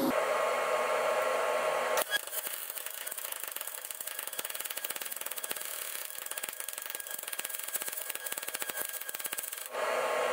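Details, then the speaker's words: MIG welding 1/16-inch aluminum with a spool gun, wire feed speed 11.5 at the same voltage, spray transfer mode; once the arc strikes, a steady crackling hiss with fine, fast sputter holds evenly for about eight seconds. "you can hear that sound guys because uh we're up in spray transfer mode and again this is 16th of an inch material we're doing this on so this is pretty impressive"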